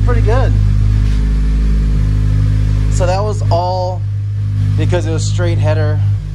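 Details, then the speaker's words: Honda Civic FA5 idling after the missing donut gasket between header and mid pipe was fitted to fix an open-header exhaust leak: steady, even low idle, smooth and much quieter, with no puffing or ticking; music plays over it; normal idle. "yo it's so quiet and it sounds great"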